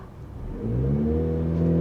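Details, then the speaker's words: Turbocharged Audi A5 six-speed manual with clogged catalytic converter, driving at full throttle: engine note rises, then flattens and holds at about 2500 rpm instead of climbing; in limp mode from exhaust restriction. "That's floored. 2500 RPM. It's in limp mode. It's in limp mode."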